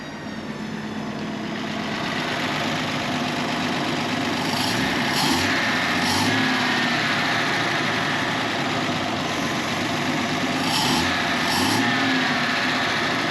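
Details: 36-year-old Toyota Land Cruiser 60 Series idling at about 850 rpm after fuel sender cleaning: a thin, constant high whine sits above the engine note. Fuel pump suspected of screaming; not confirmed.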